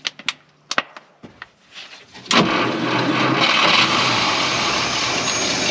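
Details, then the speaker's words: 1953 Packard Cavalier being revived after a plugged fuel tank pickup was fixed and the fuel and water pumps were rebuilt: it clicks, catches, and runs loud and coarse with the throttle held open by hand because it won't idle on its own. "we should just have to idle it just a touch here manually until we get something down on the ball nothing yet"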